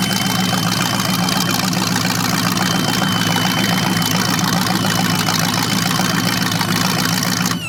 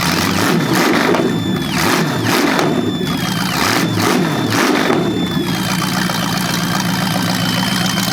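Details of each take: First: Chevrolet 350 V8 (3970014 block, from 1970 Camaro) on engine run stand, first run with 600 CFM carburetor: thin steady high squeak over lumpy idle, seemingly from carburetor, cause unknown; otherwise running well. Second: Chevy 350 small-block (3970014 block) from a 1970 Camaro, first run on an engine run stand: throttle blips, then a smooth V8 idle with a faint squeak, possibly from the carburetor. Running well; normal idle.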